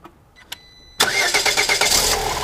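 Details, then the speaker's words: Lada Granta 126 engine after a full rebuild: the engine fires with a harsh, hissy metallic scrape pulsing with rotation; the belt tensioner roller was rubbing the crank pulley, and the scrape disappeared once the alternator belt was loosened. "Так. О, скрежет ушел. Получается, натяжной ролик задевал шкив коленвала."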